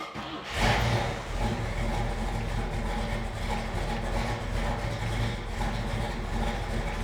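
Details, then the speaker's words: 1966 Chevrolet Chevelle SS396, numbers-matching 396 big block, Holley 4-barrel, points ignition, hood open: catches within a second, settles into deep steady even rumble without knocks or misses; normal start and idle. "we're going to fire the motor up let you hear what this big block Chevy sounds like"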